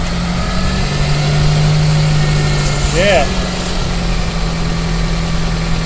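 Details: Mitsubishi Space Wagon after the noisy A/C compressor clutch was replaced and the belt refitted: engine idles smoothly with a steady low hum, and the front-of-engine noise is gone.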